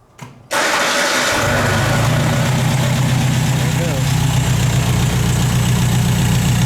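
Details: 1951 MG TD, hot after a 4-5 mile drive, water temperature just above 90, restarted after sitting, formerly hard hot-starting from vapor lock: fuel pump builds pressure, engine catches quickly into steady idle; heat shield fix worked.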